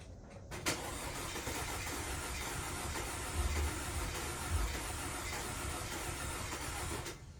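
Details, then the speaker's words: 2012 Audi Q5 2.0T with 103,000 miles and severe oil consumption, cranked after B-12 Chemtool piston soak with old plugs back in. Settles into an uneven, stumbling idle with skipped beats, white smoke, flashing check-engine light; misfire blamed on stuck oil rings. "We got it started. It's idling. It's really rough. A lot of white smoke."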